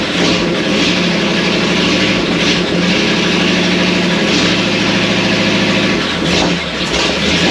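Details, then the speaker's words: 1937 Ford with a freshly built 59AB flathead V8 on its first start, with a new Stromberg carburetor, 6-volt system, no radiator and open exhaust: loud, crisp, even firing with no knocks. It runs strong on all eight and has oil pressure; the carburetor and timing need slight adjustment. "It seems to be running on 8 pretty good. The carburetor needs a little bit of adjustment."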